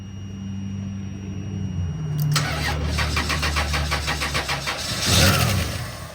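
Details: 1998 Chrysler Town & Country no-start: the 20A engine/ASD fuse blows as soon as the engine tries to start, with a short traced to a melted wire. Starter cranks evenly for a few seconds, engine barely catches and dies as the fuse blows.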